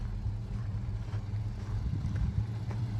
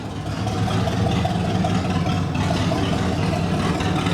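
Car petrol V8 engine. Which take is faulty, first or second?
second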